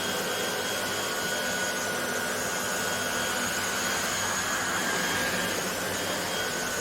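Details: Hoover HL500PT vacuum after fixing the power switch by bending its clip, running on higher setting picking up bread crumbs: smooth steady rushing whoosh at constant pitch with no rattles or labouring; suction normal.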